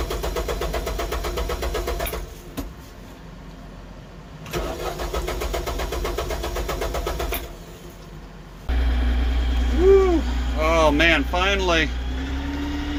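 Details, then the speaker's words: Tractor, hard starting after the fuel system ran dry: long steady cranking at about four beats a second, draining the battery, with key left on to let the electric fuel pump prime; it finally catches and idles. "kind of killing my battery trying to get this thing to turn over i had to leave the key on for a little bit i could hear the electric fuel pump cranking the fuel"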